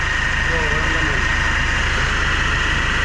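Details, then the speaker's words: Hyundai Grand Starex at idle, timing chain suspected: constant gritty hiss and thin high whine, like an empty power steering pump with grinding. "kasi parang power steering na walang laman mga boss ang tunog niya na may halong gaspang o grinding sound yan ang iche-check natin"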